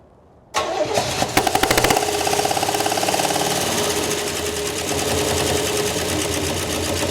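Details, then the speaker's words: 1968 Oldsmobile Delmont 88, parked 36 years, first start on gas poured into the carb. It cranks, catches with a string of sharp pops, then settles into a ragged, uneven idle. Misfire suspected from a bad spark plug or camshaft, not a valve. "It's popping. Is that a valve? >> No. Might be a bad funky spark funky spark plug or a cam shaft. One or the other."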